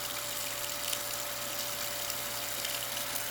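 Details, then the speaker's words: Newly installed replacement home water pump, pressure set at 50 psi, kicking on with the tap running: steady low motor hum at fixed tone, runs smoothly and evenly, healthy. "There it goes. Now you can hear it."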